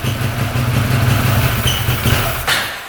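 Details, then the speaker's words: 2013 Arctic Cat Wildcat 1000cc twin UTV: lumpy low idle sags and nearly dies while the intake joint is sprayed, then recovers; air leak at the intake. "look at that going way down when you spray that yeah there's an air leak right there"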